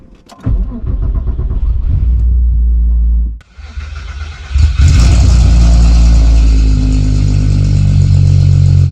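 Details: Widebody VW Mk3 VR6, first start after 5 months in storage: a first crank stumbles and dies, then a second start catches with a rev flare and settles to a steady, even idle, with no coolant or oil leaks.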